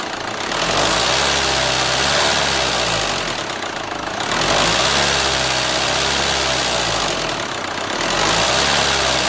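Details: Renault Scénic 2 1.9 dCi, 2004, diesel idle: abnormal engine knock, a sharp regular clatter about four times a second, rising and falling with revs; engine removal, inspection and engine replacement to follow.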